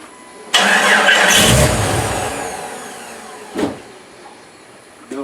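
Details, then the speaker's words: Jeep XJ after a deep mud/water trail ride, battery at 14.3 V: labored, sluggish cranking that drags and fades; starter dragging from mud and water inside it. "if you're not it's kind of dragging because it's got mud and water in it"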